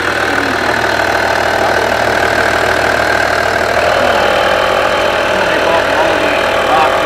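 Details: Skoda Superb Mk1 2.5 TDI V6 diesel, unused since March 2020, idling after replacing the burst boost pipe that caused a bad air-fuel mixture and black soot. Steady diesel clatter holding an even beat, no hunting; normal idle.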